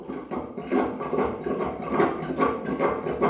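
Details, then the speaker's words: Sink drain being plunged with the overflow hole left uncovered: wet gurgling surges about twice a second with each stroke as air escapes through the overflow, giving no real suction. Gurgling from open overflow while plunging. "Now, most of the time, people just plunge up and down like this, and you'll hear the gurgling noise."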